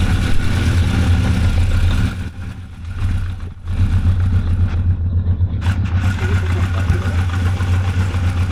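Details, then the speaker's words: 1985 Honda CB1100F four-cylinder, sat 20 years in a barn, running after a carb clean and new gas; a smooth idle that dips briefly and then holds steady, revved to about 9,500 rpm, bogging slightly the first time and fine the second. "So, you just saw it run uh uh runs as it should, it sounds like."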